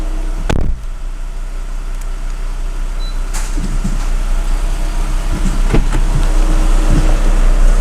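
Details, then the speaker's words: VW Bora 1.6L AKL/AEH petrol engine, first start right after a timing belt swap: low, steady idle with an even pulse and no ticking or rattle, only a few clunks around it; sounds good. "This is always a nervous moment when you have swapped a timing belt. Okay. Oh yeah, press the clutch maybe. Sounds good."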